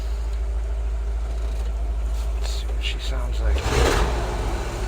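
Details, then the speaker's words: 1964 Ford F100 V8 with new Pertronix cast distributor, timing moved from 16 degrees initial at about 700 rpm, 20-21 inHg vacuum: low loping idle stumbles and sputters unevenly, never steady; engine dislikes the new timing setting. "oh she's sputtering she does not like that i've never run this motor that on timing so let's come back up front"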